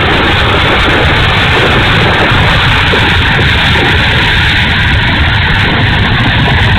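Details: E-flite A-10 Thunderbolt II RC jet, twin 64mm electric ducted fans at constant speed: steady, loud rushing whine with a coarse, ragged edge; motor sounds bad and rough, cause unknown.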